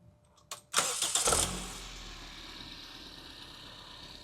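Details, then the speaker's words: Engine at normal (MBT) ignition timing, before timing is retarded in a timing-sweep demonstration: short crank, quick catch with a brief rev, then a smooth, even idle. Healthy start and idle. "This would be our normal timing."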